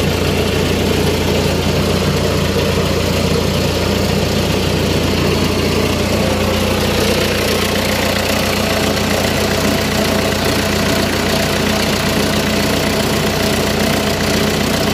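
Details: Diesel engine started after removing the engine stop solenoid that closed by itself on starting and cut fuel flow: starts and settles into a steady, even low-rumble idle with no stumbling or cutting out; runs normally.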